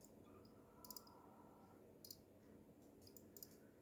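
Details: SeaSonic SS-620GB 620W PC power supply under heavy load running Half-Life 2 RTX: sharp irregular clicks in small clusters over quiet fan hum; not the fan (recently swapped to Arctic P12), no visible internal damage.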